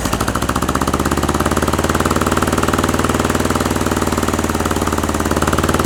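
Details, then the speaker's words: 1960s air-cooled VW dune buggy engine, first start after sitting over ten years, fuel fed manually past the shut-off solenoid: fast, uneven chuffing about four pulses a second that won't settle to idle. Idle adjustment may be needed; owner suspects timing slightly off. "does not want to idle. Might have to do a little bit of an idle adjustment there."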